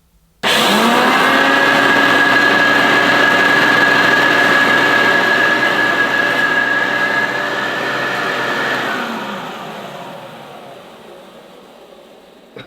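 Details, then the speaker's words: Hoover Turbopower Junior U1102 upright vacuum cleaner, nearly 40 years old, arrived smashed in the post: motor spins up to a steady even high whine, then winds down smoothly when switched off, with a puff of dust; sounds healthy. "I don't know if you saw that puff of dust that came out doesn't sound too bad have to say"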